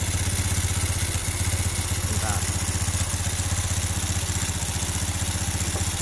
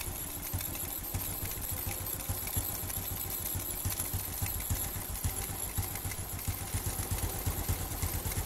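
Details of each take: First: Carbureted Honda Revo Absolute/Blade single at idle during carburetor adjustment; the air screw is turned fully in, then backed out. It gives an uneven, lumpy pulse about four per second, sagging as if about to die. Rough idle from the air screw being misadjusted. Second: Carbureted Honda Revo Absolute/Blade after the air screw and idle screw were adjusted to cure heavy fuel use: a steady low putter with even firing and no misses or hunting. Normal idle.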